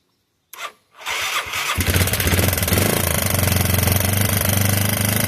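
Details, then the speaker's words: 1986 Yamaha YFM Moto4 200 single-cylinder ATV after carburetor work (mixture screw set about 1⅛ turns out, carb swapped): starts after a couple of tries, then a steady even thump, no rattles; normal running. "Well, I don't hear no weird rattling sounds or anything going on, so that's good."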